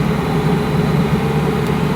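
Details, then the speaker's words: Land Rover Defender diesel cruising on a Georgian highway at a comfortable constant speed: steady low humming drone over the engine, gearbox/transmission noise coming through the unsealed gearbox tunnel. "this is quite a comfortable speed you hear the gearbox noise or transmission noise whatever it is"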